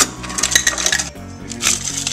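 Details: Frigidaire side-by-side dispenser set on cube, after repair: its coil was checked for continuity and moved once given 120 V AC. Whole ice cubes clatter into a cup over a low motor hum; it now dispenses cubes normally, not only crushed ice.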